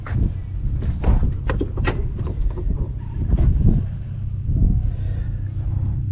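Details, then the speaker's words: 500 WHP Mitsubishi Lancer Evo 8 turbo four with AGT 62mm turbo after a drag strip run, rough uneven beat with stumbles and pops, severe misfire; coolant seen around the engine, owner suspects lifted head from holding 4th gear too long. "Car started misfiring freaking crazy. And it sounds like a freaking Subaru right now, so the car is just misfiring like crazy."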